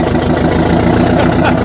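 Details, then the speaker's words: Two-stroke diesel, started with the valve covers off and throttled by hand: a loud, crisp bark with a fast, even beat, pulling cleanly; likened to a race car. Healthy running. "Listen to that thing. That sounds... Oh, yeah. Wally, that's insane, dude. It sounds like a race car."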